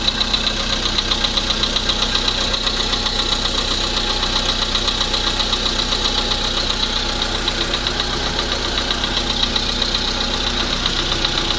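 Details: VW Polo sedan engine at steady idle: sharp, even tapping riding on top about four times a second; knock from inside the engine.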